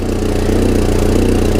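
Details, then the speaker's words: 1994 Volvo 480 2.0 petrol, cold-day start after fitting a replacement downpipe for a manufacturer defect: idle with a loud, rapid puffing blow in time with firing from an exhaust leak at the rear coupler. "from round this coupling I think that's where we've got an exhaust leak I mean it is actually coming out you can hear it is creating quite a bit of pressure"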